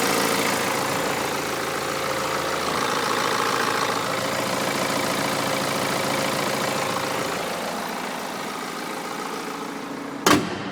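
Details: BMW 320d M Sport E92 2011 diesel at idle after timing chain rattle fix: even steady clatter, no chain rattle, healthy sound.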